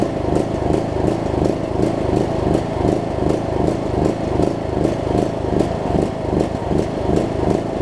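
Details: John Deere LA105 riding mower single-cylinder engine, unrun about three years, cold near 40°F after cleaning water-contaminated fuel tank and carb, speed pulsing up and down; surging and rough, owner suspects gunk still in the tank.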